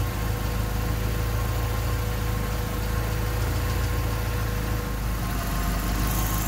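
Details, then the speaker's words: Honda D16Y8 engine on P28 ECU, idle after new spark plug wires and cleaned IACV reinstalled: irregular stumbling beat under steady hum, never settles, close to stalling; rough hunting idle unchanged by wires and IACV. "as you can hear the engine is still idling weird the icb and the wires didn't make a difference at all"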